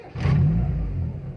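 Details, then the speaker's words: Timor DOHC engine, hot restart: catches, rpm climbs briefly then drops back to about 800 rpm and stabilizes; normal start-up flare. "RPM dia akan naik berbatas halo halo turun ke erpandi 8000d ini kita coba lagi seperti itu"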